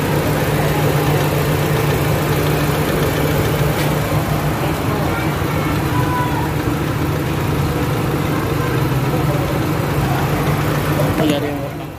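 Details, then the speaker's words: Honda Fit petrol engine idling after a top overhaul for overheating (no full overhaul), timing set at 5 degrees, no smoke; smooth, quiet even low hum with no ticking, knocking or misfire before switch-off, normal idle. "Ibig sabihin okay yung timing, naka 5 degrees yung timing natin. Kaya maganda yung ano niya. Hanggang natin ng engine. Tahimik naman siya guys."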